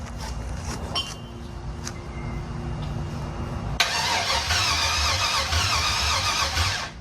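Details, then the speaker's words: LS-swapped Box Chevy, 5.3L LS with eBay standalone harness, new fuel pump giving fuel pressure; starter churns steadily but engine never fires; crank no start, owner suspects no spark, plans to change old spark plugs. "So as I'm trying to crank this, I'm getting the fuel pressure, I'm getting all the stuff, but it's not firing. So it's getting gas, but I don't think it got spark."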